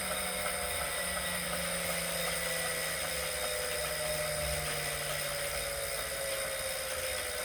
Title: Wahoo Kickr Core whining/knocking sound